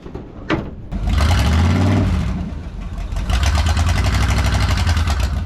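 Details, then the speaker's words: Abandoned truck left in the woods over a decade, small-block Chevy, odometer likely rolled over: starter cranks briefly, engine catches, surges, settles to rough lumpy idle; truck struggles to move, owner suspects low transmission fluid and brakes set up from sitting. "I think there's two things. I think the transmission's low on fluid and I think the brakes are pretty set up from sitting."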